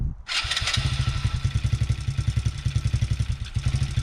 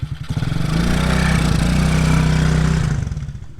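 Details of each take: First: TaoTao Coolster 110cc youth ATV that had been bogging and backfiring, after repairs (a kink was felt in the fuel line): fires straight up into a crisp, even single-cylinder beat with clean revs. Normal running. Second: TaoTao Coolster 110cc youth ATV with carburettor needle at default, on a test ride: revs into the mid-range then sags and burbles unevenly, no full wide open throttle; bogging, running a little lean.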